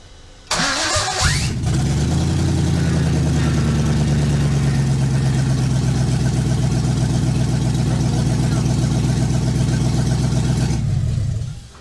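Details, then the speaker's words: LS1 V8 in a 1965 Chevy C10, second start to verify after wiring diagnosis with brand-new wiring and ignition switch; brief crank catches quickly into even steady idle about ten seconds, then clean shutoff; finally runs. "It runs. It finally runs. Yeehaw! Woohoo!"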